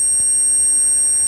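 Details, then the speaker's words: Heathkit HP-13 mobile power supply on a 12 V supply: a steady piercing high whine with faint lower hum. This is normal; the transistors drive the transformer in and out of saturation for the high and low voltage. "transformer going in and out of saturation. That's the way it's designed. Each of the transistors on either side drives it in and out of saturation for the high and the low voltage."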